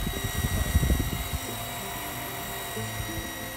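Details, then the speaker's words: Sanyo PH137AC water pump with 1-inch inlet and outlet piping, drawing water from below the pump (negative suction): some knocking at first, then a smooth, even motor hum at steady pitch; running normally. "Cukup halus suara pompanya. Ya, puaslah dengan pompa ini."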